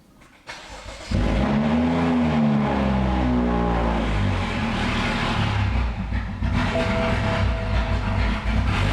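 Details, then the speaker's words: 2013 BMW F30 335i N55, full bolt-on with custom E85 tune, towed in with an axle sheared in the differential: short crank, then it catches and revs with a loud, deep boom. Hard starting, suspected to be due to E85. "so we have some difficulty starting I'm pretty sure he's on E85 that's why"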